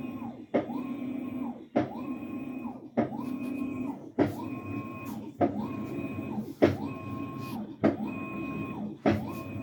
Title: washer making knocking noise during wash cycle